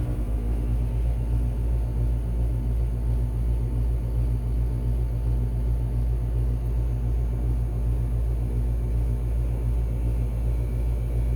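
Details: 2020 Rheem RA13 air conditioner, heard from the compressor side, scroll compressor, swept-blade fan with what is thought to be a Genteq fan motor: deep even hum with low throb, no knocks, rattles or squeals; normal compressor startup.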